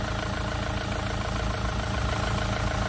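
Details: Renault Clio 3 diesel, 1.5 dCi 85 hp, 300,000 km: steady, even idle with a smooth low rumble and no knocks or rattles after refitting the alternator, which was causing the noise; noise now gone, engine healthy.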